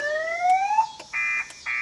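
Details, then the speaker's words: 2000 Chevrolet Impala that won't start, key fobs not working, radio dead, security light flashing: rising whoop siren then steady on-off high beeps; anti-theft alarm keeps going off. "The radio is not working. The alarm goes off every time I turn around."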